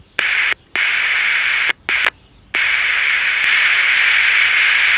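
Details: Philco T66-124 transistor pocket radio under repair, volume control bypassed, oscillator running at low band end: steady hiss switching on and off, no station tunes in; no signal out of first IF transistor.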